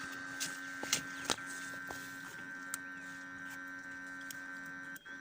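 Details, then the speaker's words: ZMZ 405 engine that stalls, sneezes and pops, with revs rising and dropping on their own; ignition on, engine off: a steady electrical hum with a higher whine that dips out briefly and returns. Intermittent hum, cause unknown. "сейчас зажигание включено Да вот слышите гудит масса"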